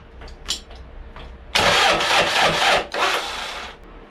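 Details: Toyota 1KZ diesel in a YN65 Hilux conversion, rebuilt starter with new brushes: starter churns in bursts about four turns a second with no catch; cranks but will not start.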